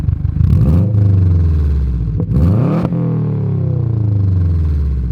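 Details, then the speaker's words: 2006 Subaru WRX, first year of the bigger motor, about 17 years old, after welding the cracked downpipe: strong deep exhaust pulls rise and fall cleanly with revs, no rasp or ticking; the note is now crisper and either better or louder, normal. "I genuinely think that it sounds either better or louder fixing it changed the note"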